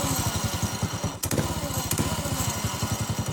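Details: Motovox minibike revved with rear wheel lifted: fast, even popping exhaust beat with faint extra rattle underneath, seemingly at the clutch, absent when rolling; owner unsure of cause. Unexplained noise from clutch area when revved.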